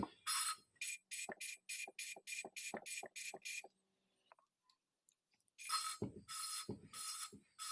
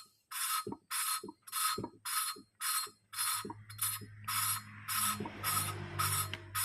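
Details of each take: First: Later stage of motorcycle valve lapping: quick, rhythmic gritty swishes, now quieter and smoother than before as the seat smooths out. Oil is then added and the valve is rotated without lifting to finish the fine polishing. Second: Motorcycle valve being hand-lapped in the smoothing stage, turned against its seat without lifting after grinding: gritty scraping strokes just under twice a second still sound rough, so the seat is not yet smooth and should quiet with more turning.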